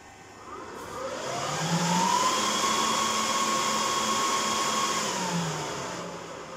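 Fans spool up to a loud, steady high whine, hold at full speed for a few seconds, then ease back down, normal startup behavior.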